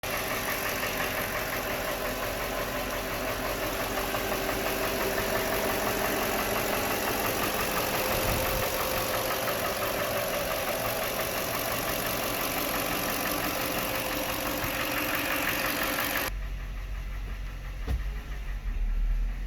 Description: 2004 LX470 at 202K miles. I appreciate any help to determine the source and cause of this knocking noise. Thanks!